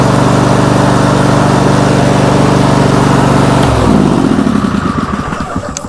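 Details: John Deere LX188 riding mower, starter just replaced but not the fault: it cranks, then catches at about four pulses a second before dying away. There's a click, and the owner suspects the little starter box, not confirmed.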